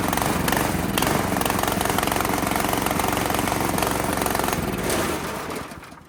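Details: Italian Workman 2 cement mixer with a Honda GX160, long needing choke to run, restarted after the fuel was turned back on: the engine runs unevenly, its beat surging and wandering, then dies; still running rough.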